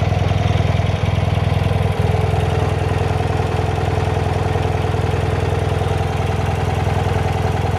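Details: 1972 BMW R60 boxer twin with clutch at end of adjustment (slips when cold, works warm): even, steady idle with regular firing pulses about three and a half per second, no knocks or misses; healthy engine.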